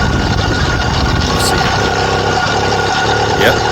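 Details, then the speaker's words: BikeBerry 100cc V2 two-stroke motorized bicycle kit, brand-new engine just swapped in and bump-started while riding: steady, even buzz under throttle with no misfires, surprisingly smooth. "come on now this is the moment right and this is a moment it usually ends a four-stroke and being crazy but this one is really smooth like I'm surprised"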